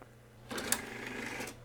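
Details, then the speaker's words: CD-ROM drive in a Power Macintosh 5500/275 reading a disc successfully: quiet hum, then dry, rapid clicking and whirring as it spins and seeks; cause unclear, owner wonders if it is normal and plans to grease it. "I wonder if it's really supposed to be that noisy. Yeah, it does make a strange noise. I wonder if this is normal. Maybe it needs some grease."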